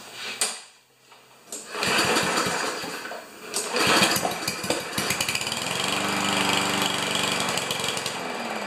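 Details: Powermore (Yard Machines) walk-behind mower, before carb spray and air filter checks: the pull-start rattles, the engine catches and runs briefly with an uneven beat, then fades and dies. Starts then stalls.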